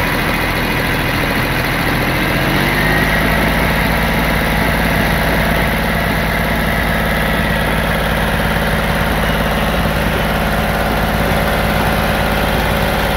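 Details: D-Motor LF39 six-cylinder 125 hp engine on a demo test stand, started and left running: catches after about two seconds, then a smooth, steady run with even firing and no odd noises; normal running.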